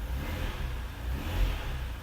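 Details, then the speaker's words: Ferrari V12 with an intermittent fault, still present after the connector was reseated: lazy, flat response to throttle blips at half power and sluggish, suggesting one cylinder bank is intermittently dropping out; cause unknown. "That's me putting my foot down. It's half responsive. Let me see if I can capture this on camera. So, watch my foot. Watch the taco. Half power. It's really sluggish. You can hear it as well."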